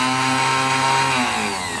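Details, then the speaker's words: Fiat Premio 1991 starter motor under test, with battery positive applied directly to the brushes: a smooth, steady high-pitched whir that winds down evenly. The motor spins freely and is healthy. "Como ele já tem negativo aqui nas escovas, entra positivo nas outras escovas e faz ele virar. Então esse é o princípio do motor de arranque, né?"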